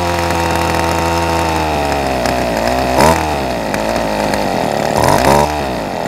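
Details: Ryobi SS30 30cc straight-shaft trimmer, started after fixing a primer bulb that would not fill and reconnecting the fuel lines: catches and runs cleanly, revving up and dropping back smoothly with no stumble or misfire. Normal running.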